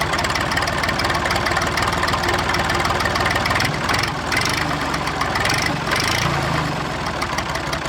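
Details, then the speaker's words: Massey 2500 forklift tractor diesel at idle: steady, even clatter with no misses or stumbles; engine sounds healthy and settled. "Now I'm gonna take her for a rip, but she runs good, eh?"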